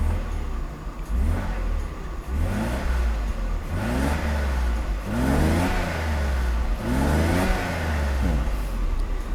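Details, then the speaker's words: 30-year-old Mercedes R129 300SL with 23,000-odd miles, after repair of a badly clogged fuel distributor: repeated smooth revs climb and fall cleanly, with a deep, even note from the apparently original exhaust. Healthy. "以它这个原厂的排气管，我看它好像是原厂的，声音很低沉，非常棒。其实以这个声音，如果以大哥自觉，大哥就不改了很低沉，非常好，很顺畅。"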